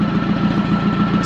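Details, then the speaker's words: Nissan 720 pickup with manual transmission, revived after 20 years, fuel flushed and tuned up: low even thumping idle around 550-600 rpm, no misses or ticks, good rev progression; healthy engine. "So as you can hear, we actually have that nice low idle like you want with a manual transmission vehicle, probably in that 550 to 600 range. It's very smooth."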